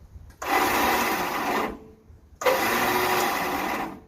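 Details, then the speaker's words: Yardman 13785L riding tractor with a Briggs & Stratton two-cylinder engine, clutch down, heard near the starter underneath; two short bursts of high, rough whirring with the engine not turning, suspected starter with a stripped top gear. "the starter is right over in underneath here so that you can hear this it sounds like the telltale sign of an opie starter that ate the gear off the top"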